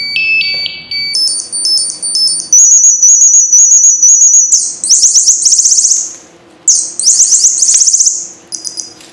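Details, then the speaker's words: Firefighter SCBA pack PASS alarm test after confirming the 4,000 psi cylinder gauge is full; loud, shrill chirping bursts stepping up in pitch through its cycles into a continuous full alarm about 30 seconds in, so the PASS alarm works normally. "Alright, so the alarm works and it's very loud, so we know it works good and we can hear it."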